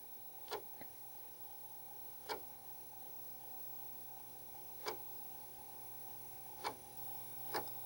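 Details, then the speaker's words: Commodore drive formatting a cheap old double-density disk: sharp single clicks every two seconds or so over quiet motor hum, head stepping track by track; normal format, which completed fine. "you can hear that clicking away each one of those clicks is a new track you can hear that it's so far at least it's formatting this disk line"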